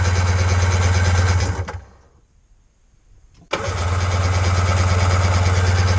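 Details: 2000 Sea-Doo GTX 787cc RFI, hydrolocked by fuel and oil after storage with bad inner seals, cranked repeatedly with discharge hoses in the cylinders and the fuel pump engaging. Steady rhythmic low churn, pause, more cranking, no start.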